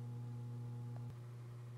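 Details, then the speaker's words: Steady low droning hum from a desktop PC: a Toshiba P300 hard drive vibrating in a loose toolless mount in a Cooler Master MasterBox Lite 5 case; long-term vibration can damage the drive's platters and heads. "aside from that annoying sound why it's hard drive abrasion even a problem well in the long term that the hard drive is vibrating enough it can actually slowly damage itself"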